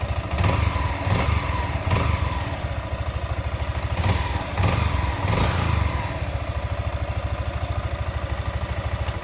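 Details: Sniper 155 VVA motorcycle at 7 months old: low, even thumping idle at about three beats a second with slight rise and fall and no knocks or rattles; a healthy idle.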